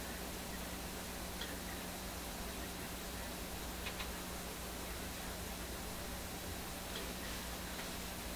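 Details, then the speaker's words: Viking RCS-426 console stereo receiver with FM fading fault; pushing a terminal hard made reception drop: steady soft hiss with faint hum and no station, as if gone off frequency. "I pushed that terminal a little bit hard. I heard the radio hiss. And then when I released it, it came back low volume like it is now."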